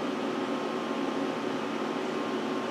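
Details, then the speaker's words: Power Mac G5 Quad hanging on boot: loud steady rushing air with a faint hum and no pitch change; fans stuck at full speed, owner suspects a crash or kernel panic. "I've seen these Maxwell they'll actually crash at this point and the fans will kick up like this one did but it'll just keep spinning like that and won't actually tell you anything"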